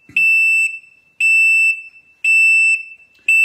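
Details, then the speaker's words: Can-Am RT Spyder: the parking brake would not release, then the engine was shut off. A steady high beep roughly once a second continues with the light flashing. Owner says this shows the brake was not engaged; cause unconfirmed. "Okay, so now I'm going to kill it. See if it beats. Yep. So that, what that tells you is the parking brake was not engaged."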